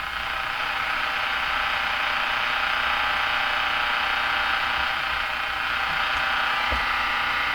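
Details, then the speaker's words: Northern Electric Baby Champ tube radio tuned near 1580 AM on a resistor-coupled test antenna: steady rushing buzz with a faint ringing tone drowns the music, absent on the similar second set; interference, source unknown (ether or radio itself). "Oh, what's this noise? No such noise over here. Something funny there. Funny ringing sound."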